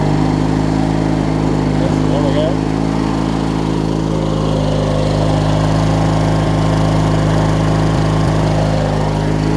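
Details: Craftsman LT1000 riding mower, opposed-twin engine (swapped in earlier), deck strapped up and blades spinning: steady, even low drone with no knocks or rattles. It runs normally under deck load; the owner suspects pulley misalignment is wearing the deck belt.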